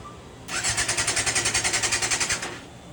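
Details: 1990 Yamaha FZR 600, new petcock, choke on, carbs not yet cleaned: starter whirs in quick even pulses, three or four a second, for two seconds with no firing; battery suspected, not confirmed.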